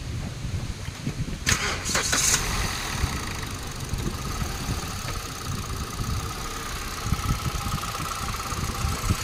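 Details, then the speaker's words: Hyundai Accent that still misfired despite a new ignition coil, started after its ignition control unit (ICU) was repaired: brief crank, catches, settles to a steady idle with no obvious stumbling; the misfire appears gone. "I-start natin muna, no? Tingnan natin kung ano, hindi na siya palyado."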